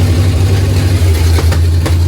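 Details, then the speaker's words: 1955 Chevrolet two-door station wagon V8 with the zoomie pipes off, running open from the headers before the full exhaust goes on: loud, deep, lumpy rumble with occasional sharp backfire pops; it started right up and sounds mean but good. "Sounds mean. Started right up. Backfiring going on, but she sounds good."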